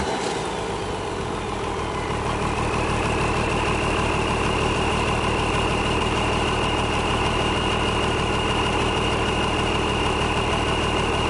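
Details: International DT466 diesel, first start in 8 years; settles within seconds into an even, low, chugging idle with no misses, running healthy.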